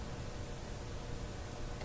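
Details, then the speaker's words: Westinghouse 1398 AM/SW/FM tube radio after replacing three bad/weak FM-section tubes: steady, even FM interstation hiss with no station or crackle bursts, normal static of a working set; no reception yet, FM side still needs work. "so that's another sign Ron Ron FM here well you know we're getting that FM uh static that you normally"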